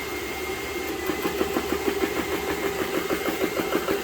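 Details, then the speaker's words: GX CS3 air compressor, about nine months old, after repair of breaker tripping: steady rapid thumping, about three strokes a second, even while pumping up; normal running. "well just valve just clicked in so that's where it was probably about 1300"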